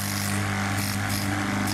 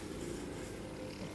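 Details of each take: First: Part of a 3000 G gas compressor running with a loud, steady drone and strong low hum, far noisier than it should be, before the noise fix. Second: Gas compressor after repair, running with a soft, even low hum and no loose knocking; noise reduced by about 70 percent and the machine works properly.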